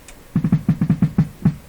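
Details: Pye Model 39HC radio (Canadian) after its original volume control was replaced with a similar one: low thudding putt-putt pulses, about six to seven a second, slightly uneven; classic motorboating oscillation, owner suspects his own errors or an incompatible volume control.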